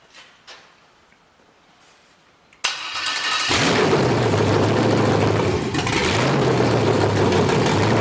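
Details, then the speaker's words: 5.3L LS truck engine on MegaSquirt 2, tuning stepper idle air control after setting hysteresis to zero and raising a value to 160: fires, flares, then holds a steady, noticeably fast idle that doesn't come down as expected. "didn't really come down to where i thought it would"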